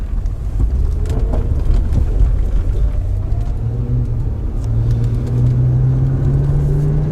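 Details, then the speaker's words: 2005 Acura TL driven on a bumpy road: low road rumble with scattered dull knocks, owner says from the right front; suspension clunk over bumps. "Now the owner says that this noise is coming from the right front. I don't know well how how well that microphone's going to pick that up, but quite a bit of noise there on this bumpy road."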